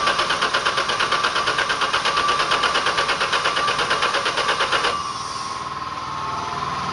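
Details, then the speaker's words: Chevrolet 4.3 V6 in a Land Rover Series II 109, not run for years, cylinders loaded with oil, fuel poured into each bank: even cranking about three beats a second for five seconds, never catches; owner suspects fouled plugs or timing; distributor found wired backwards. "So I may have fouled the plugs really bad right off the bat. But anyway, timing may be off too."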